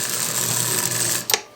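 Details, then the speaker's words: eBay ALCO model locomotive after cleaning and oiling, run on the test track with the shell off: a steady, high-pitched buzzing rattle from the noisy E-unit, ending in a sharp click; likely needs more service eventually. "man that eunit is loud that's probably going to need a little more service eventually"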